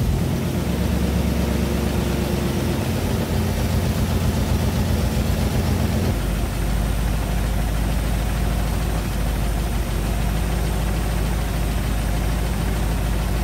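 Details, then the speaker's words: 1956 Chevy Nomad V8 at idle after valve covers with thick cork gaskets were overtightened: a new light, fast tick keeping time with engine speed, felt through the valve cover, plus an oil smell from the leaking cover seal. "iuck can smell oil that means that valve cover is not ceiling and there's a weird knocking noise ticking noise that wasn't there before touch this valve cover over here and I can feel it the same noise"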